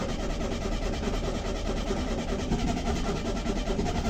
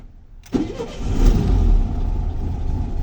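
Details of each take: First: VW Beetle (vocho), cold and unstarted for two days after a transmission oil top-up; its carburetor is dirty and the jets are likely clogged. The starter churns steadily about seven seconds without catching while the evaporated-dry carburetor refills with fuel. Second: VW Beetle (vocho) engine, unknown history, sitting two days after transmission oil top-up: cranks until fuel rises to the carburetor, then catches sharply and settles into steady low idle; very cold, carburetor believed dirty; normal start.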